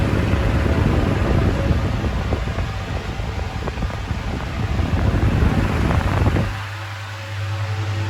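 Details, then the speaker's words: 2000s Bionaire 2cool 16-inch pedestal fan, bought used at a car boot sale, on high, drawing a stated 18.1 W: loud, steady rush of air over a low hum with no rattles or ticking; it runs properly but very loud. "But for air flow, it is moving an insane amount of air. But it is very very loud."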